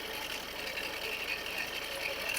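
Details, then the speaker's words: Ford diesel car idling with a dense, gritty crackle and rasp over the engine: failing alternator bearing making a huge crackling noise; the alternator was replaced. "Right now you can hear some rattling noise from the engine."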